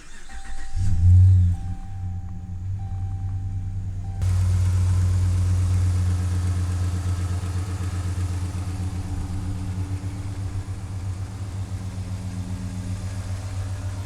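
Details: 2010 Dodge Ram 1500 5.7L V8 after a cylinder head job and several spark plug replacements: a brief crank, it catches and flares, then settles into a deep, even idle with no tick, knock or miss.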